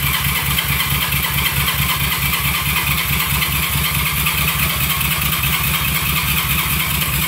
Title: 1971 CB350 Won't Start